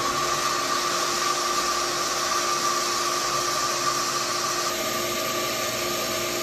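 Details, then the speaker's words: Jet water pump being primed, valve cracked open slightly: steady motor hum with a whining tone, then pitch and hiss shift as the pump starts drawing in water. "listen for that motor you'll hear you'll you'll be able to hear a difference in the pump when it starts to draw in [Pump Sound] water"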